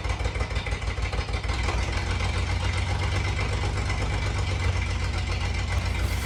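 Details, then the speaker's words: 1988 Jeep Comanche MJ 4x4 engine, started after sitting for years with a cleaned tank, new fuel pump and new fuel lines. It idles with a loud, raw, uneven rumble because the exhaust is cut at the first bend under the cab; the header isn't leaking. Loud exhaust from a cut-off pipe. "I'm sure you guys hear how loud it is. I don't know, you know, probably what you were thinking in your mind at this time, but uh it is the exhaust. Obviously, they uh whoever had it before me cut the exhaust directly under the cab coming out first turn, first bend."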